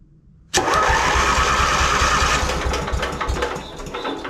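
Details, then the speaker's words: Lincoln Weldanpower welder with Briggs & Stratton 16 hp engine, after starter and start solenoid repair; quiet, then engine catches at once and settles into a steady even beat; normal engine start. "we go so the solenoid is fixed the starter is fixed"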